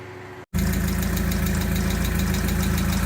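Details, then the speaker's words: MGB with a supercharger on standard fueling, old airflow meter (AFM) suspected killed after an aftermarket fuel pressure regulator was fitted: brief cutout then lumpy uneven idle with irregular stumbles, rough running from failed airflow meter. "Well, that didn't work, but the new air mass or AFM did work. So did I somehow kill the old AMF when I put the aftermarket fuel pressure regulator on?"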